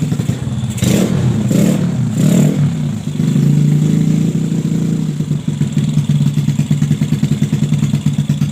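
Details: Bore-up Yamaha Jupiter Z with PE 26 carburetor, which hesitated as if fuel-starved before the carb hole was widened: three sharp clean revs climb and drop without stumbling, then steady idle; throttle response healthy.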